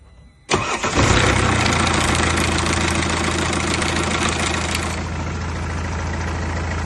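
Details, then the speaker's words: Mercedes W204, OM651 diesel: loud clattery timing chain rattle on start-up, settling into a busy idle; the timing chain tensioner is replaced instead of the chain. "It's a 6.1 engine, and the reason we're changing it is because the chain is rattling."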